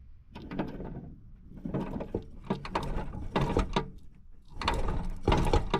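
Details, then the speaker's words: 1961 International Cub Cadet Original (7 hp Kohler), steering wheel worked: irregular hollow clunks and knocks as the steering shaft moves; the shaft is loose, and the owner thinks a weld is broken. "Oh, yeah. It's loose. I think that weld is broke or something."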